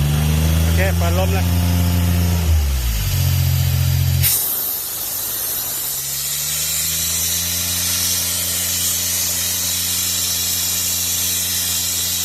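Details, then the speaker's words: Airman PDS90 air compressor, 3-cylinder diesel, used import; engine winds down after shutdown, then sharp rush of air and steady even diesel beat on restart; restarts easily, runs healthy with strong air. "ใช้งานได้ดีครับลมแรงนะ"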